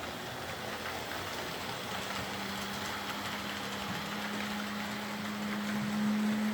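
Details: Old Hornby R751 Class 37 model locomotive after repair, wheels cleaned of corrosion with a rotary tool and brass brush, body refitted, on track: light, even motor hum settling to a steady tone under wheel rumble, no snatching or grinding; normal motor running.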